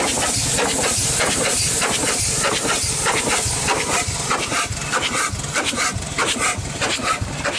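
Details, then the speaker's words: Over-100-year-old Chicago Pneumatic steam engine/air compressor, first run in decades, compressor head off, unbolted with no counterbalance: loud hissing chuffs about 97 a minute, steam escaping between beats, uneven running; needs seals everywhere and should be bolted down. "she definitely needs seals everywhere not a very balanced unit so it would be bolted down for sure"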